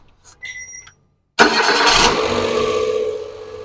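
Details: Nissan Dayz that had morning starting trouble and P0303 cylinder misfire, after cylinder head and valve repair: brief key chimes, then engine catches at once and settles into steady idle without stumbling; starts cleanly.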